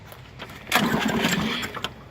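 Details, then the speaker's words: Lawn mower during Seafoam carbon-cleaning treatment, restart after Seafoam added: cranks, coughs into a brief one-second sputter, then dies without catching; doesn't want to start. Hard starting. "this is not wanting to start all right so it doesn't want to start"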